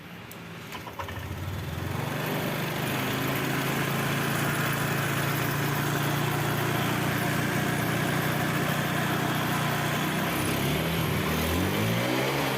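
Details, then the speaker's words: Honda Vario 125 after TPS readjustment: throttle response now good but engine climbs to a fast, steady idle that won't drop even with idle screw backed off; throttle position sensor set too far up, to be shifted down. "ini gas-gasnya sudah enak ya teman-teman cuman e langstamnya tinggi banget ya kita sudah Setelkan mentuk tetap aja langsamnya tinggi Berarti tps-nya terlalu ke atas teman-teman"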